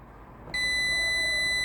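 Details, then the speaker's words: Continuity test on a car relay with the coil energized: a sharp, steady beep between terminals 87 and 30, reading 0 ohms, shows the closed contacts conduct cleanly; no beep would mean burned or arced contacts with poor contact. "if the coil is energized and you don't get this beeping from terminal 87 and 30, that indicates the contact is not making good contact."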